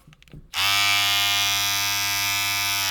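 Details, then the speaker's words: Remington MB-200 trimmer, about five years old, after bending its blade hinge tabs back into place: clean, even buzz with no rattle, quiet as when new. Normal running. "so let's see Ellis here again very quiet I mean it's not perfectly quiet but it's quite it's just like the day when it was new"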